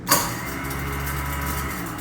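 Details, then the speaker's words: Garbage disposal run briefly dry, without water, to hear the true motor sound: a click at switch-on, then a steady rough hum with a slight buzz. The click is the motor engaging, normal as it wears; worn motor noise. "That little click before, that gets normal when they start to wear a little bit. All that is is that motor engaging."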